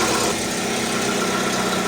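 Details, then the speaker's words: Lada Largus idling with catalytic converter (built with exhaust manifold) gutted, empty inside: loud, hollow, hissy roar over the engine, to be repaired. "Evet, g'urlagan ovozda nasib etsa yo'qotamiz."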